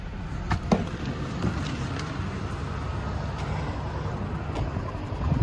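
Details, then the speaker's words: 2017 Hyundai Genesis G80, 3.8 engine, 41,481 miles: low, uneven idle with an irregular stumble and occasional thumps. It began missing, running rough and puffing white smoke from one tailpipe after refuelling. Dead miss on cylinder 4 (under the intake manifold) at idle and under load, blamed on a bad fuel injector. "Anyway, we got a dead miss on number 4. And I believe number 4 is on the side that it was smoking out of earlier. It's a miss at idle, a miss under load."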